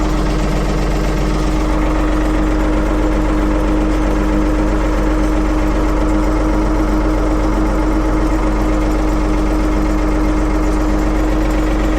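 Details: 1975 Ford 550 backhoe, cold start in neutral after repair; steady, even low thrum at idle holding its beat, no stumble, knock or hunting; engine running healthy.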